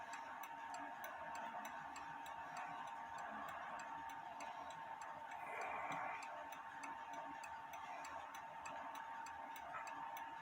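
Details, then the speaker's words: Novelty pendulette clock on a test stand, set plumb so the pendulum doesn't hit the wood: even, steady ticks at a regular beat with no stumbles; the clock runs normally and needs no adjustment. "and so far it's still running so I don't need to adjust it I just had to have it straight up and down going leave it like that for a little bit"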